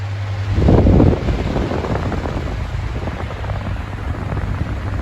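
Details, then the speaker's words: 2000s Bionaire 2cool 16-inch pedestal fan on low speed: steady low roar of moving air with a constant deep hum, far louder than it should be even on low. Excessive running noise. "yes, again, it's still moving a lot of air, even on low, but it is still very loud."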